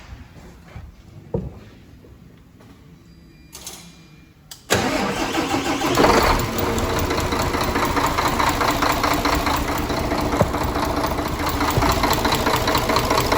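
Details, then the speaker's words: Mercedes AXOR truck OM 457 diesel, after a stuck tappet was knocked down and adjusted: it cranks, catches, then idles with crisp tapping at about two beats a second as the clearance grew after running. Valve tapping from worn tappet and camshaft. "Ну что же у нас после работы заметно теперь зазор увеличился Это только вот после того как он поработал"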